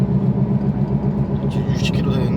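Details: 2008 Volkswagen Passat while driving: steady low droning hum under road noise, loud above about 60 km/h, constant with speed; worn hub bearing, replaced. Wheel bearing hum.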